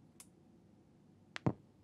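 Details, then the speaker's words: KRK Rokit 6 Gen 2 monitor with black gunk and failed capacitors: faint click then one heavy thump at switch-on driving woofer to full cone excursion, then no bass, only high frequencies; finding: power-on woofer thump. "full cone excursion yeah something's up and listen to this sounds like there's no water at all okay so that is one sick puppy it looks like the woofers gone and we're basically only getting the high-frequency stuff out of there"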